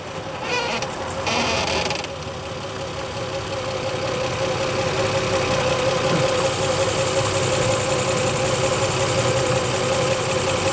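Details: Nissan 350Z with 1JZ engine swap idling with clutch engaged (pedal not pressed): loose uneven rattle and buzzy vibration over a steady mid-pitched drone, transmission rattle.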